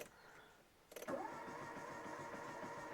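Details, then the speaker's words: Peugeot 405 Mi16 first start, no oil pressure light: engine catches and runs with rapid, uneven mechanical clacking over idle; cause unknown. "Ça claque bizarrement. Qu'est-ce que c'est que ça ? Qu'est-ce que c'est cette merde ? Pourquoi ça claque comme ça ?"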